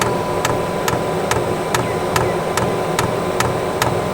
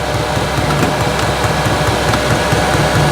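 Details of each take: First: Newly installed eBay diesel heater in family caravan, first start: dosing pump ticks a bit over once a second over fan hiss, still priming; not yet ignited. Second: Newly installed eBay diesel heater in family caravan, first run, 114 degrees, very hot air output: steady whooshing fan with faint soft uneven ticking, no rattles or surging; running normally.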